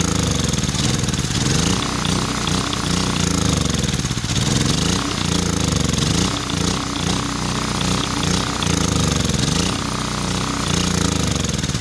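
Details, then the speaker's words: Generac Centurion 3250 generator unused two years, fresh gas, cleaned plug: rapid choppy firing surging and sagging, running only while fuel fed by hand into carburetor; ignition fine, clogged carburetor, replace it. "runs when you force feed the gas so it's not ignition problem it's definitely gas related"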